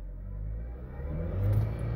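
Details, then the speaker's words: 2011 Jeep Patriot CVT, 192,000 miles, check engine light with solenoid B stuck-on code; in drive and reverse engine rumble climbs with throttle but car barely moves, transmission not engaging; owner believes transmission is out. "I'm going try to back up it moves just a little bit see I'm giving it gas and it's not going anywhere"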